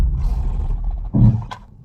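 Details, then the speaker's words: Maruti Baleno disc brakes: deep low groan, like something rubbing, swells just as the car comes to rest under braking; service center called it normal and blamed ABS working, owner unconvinced, cause not confirmed. "जब भी मैं break मार रहा हूं जैसे ही car रुकने वाली होती है उसके जस्ट पहले एक घर सी साउंड आती है जैसे कि कुछ रगड़ रहा है"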